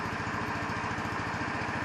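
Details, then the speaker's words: 150cc Chinese scooter idling cold on electronic choke, expected to die within a minute; fast single-cylinder putter about ten beats a second, slightly uneven; rough idle, owner suspects idle mixture or spark plug gap, not confirmed. "it's probably gonna die after a minute but what i want to know is is the idle too slow is it too fast does it sound right does it sound like maybe i've got problems with the spark plug not being gapped correctly"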